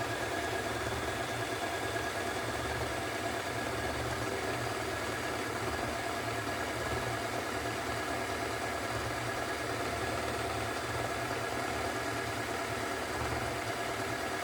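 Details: Hoover washing machine spinning at 1400 rpm: steady even roar with a low hum underneath, drum bearings nearly bad, not yet severe.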